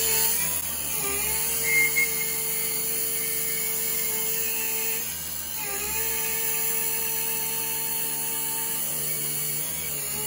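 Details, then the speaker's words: Taig CNC mill cutting 3/8-inch-thick heatsink full depth with 3/16 end mill, feed raised from 30 to 51 in/min, motor 4500 rpm with 2:1 pulley giving 9000 rpm spindle: high whine sags briefly under load then recovers; no bogging. "so you can hear the motor right about there the motor loses a tiny bit but it it doesn't bog down too much"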